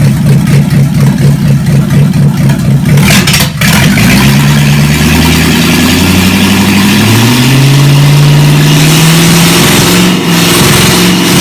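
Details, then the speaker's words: Chevy 283 V8 Marketplace find, run again on the shop floor before a compression test: even lumpy idle picking up cleanly on strong throttle blips, no misses or knocks; healthy normal running and revving. "I'm going to run it one more time [Music] Beauty it runs so good"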